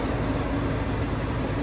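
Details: 1999 GMC Sierra 1500 V8 bought cheap, with a suspected water pump weep-hole leak: steady, even low hum at idle with no knocks or ticks; idles smoothly and sounds healthy.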